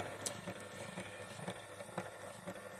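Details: Eyesen 8mm Movie Maker Pro film converter. Quiet, even clicks about twice a second over a soft whir as film steps one frame at a time smoothly; healthy advance with no chattering or grinding.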